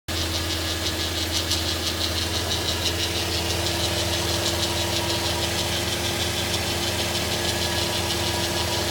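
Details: 2015 Audi A3 1.8 TFSI at idle: light, irregular scratchy rasp over engine note from front of engine bay; dealer first blamed turbo impeller scraping, new turbo didn't fix it, then called it normal; pulleys tested, cause unknown.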